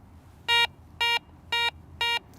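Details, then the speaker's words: Ace 300 treasure and coin metal detector: four identical bright mid-pitched beeps about half a second apart from a little gold ring, target ID in the 40s, a mid-tone close to foil. "a mid-tone in the 40s, not too far from where that foil was."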